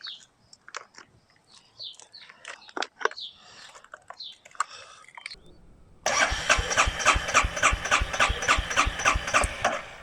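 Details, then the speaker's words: Stolen, abused Royal Enfield Meteor 350: the starter churns steadily, about three turns a second, but it never fires because the side stand safety cutout blocks starting. "All right, so the safety for the stand stopped it from starting. I just wanted to hear it turn over."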